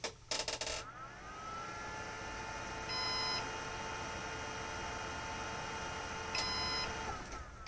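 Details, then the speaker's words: Synology DS118 NAS with replacement 3-wire fan in quiet mode: faint low fan whirr, then two short high beeps about 3.5 s apart as the fan spins so slowly the unit thinks it stopped; fan failure alarm. "Okay, so in quiet mode, the fan goes so slow that the device thinks the fan stopped and it's starting to beep."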